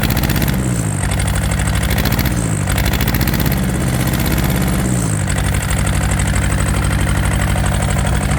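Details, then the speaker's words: Yanmar TK486 4-cylinder diesel just started with the throttle low: lumpy, uneven idle that breaks up on each rev; running on two cylinders. "It doesn't sound like I'm running on all four. I crack each line loose and see if anything happens."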